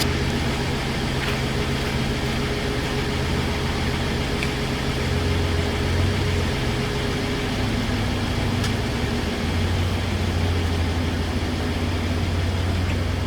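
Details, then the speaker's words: 2016 Ford F-150 3.5 V6 on its first drive after the correct starter was fitted to a dead engine; still a little smoke from fluid it is burning off. Steady, even low rumble at constant speed with no knocks, misses or rattles. Normal running. "Okay, first drive. So far, it's running pretty good."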